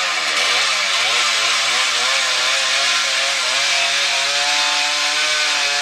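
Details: Husqvarna 110 chainsaw cutting wood with a dull chain: high, raspy saw note holding steady while the chain chatters and labours through the wood; dull chain.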